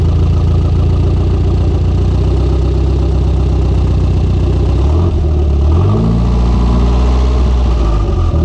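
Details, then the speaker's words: Conquest turbo (G54B) on a road drive after leaning out on the MAF-T: steady deep drone stumbles and changes pitch midway, recovering unevenly; engine cutting out under boost, fuel pressure seemed to drop coming onto boost, cause unconfirmed. "it did look like a fuel pressure did drop like when it was going into trying to go into boost but it stayed whenever the car died"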